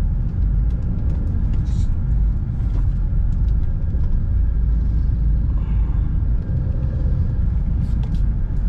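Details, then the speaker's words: Test drive after tightening the front suspension to cure the customer's front clunk: a steady low road rumble over potholes with no clunks or knocks from the front. The front is now quiet, though the rear still makes some noise. "Papansin niyo kung may tunog yung pangilalim. Ayan, wala na. So wala na talaga siyang lubak. Tawag nito yung ingay niya dito sa harap na wala na."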